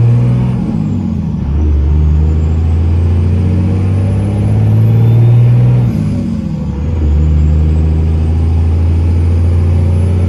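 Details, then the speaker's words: 2002 Dodge Ram 2500 5.9 Cummins 4x4, 102k miles, driving uphill in 6-speed manual: diesel drone climbs, drops cleanly at two upshifts and pulls again, no grinding or clunks; normal smooth shifting. "I'm gonna take off and head up the hill here so you can hear how smooth this 6-speed shifts. It doesn't grind or hesitate going into gear whatsoever."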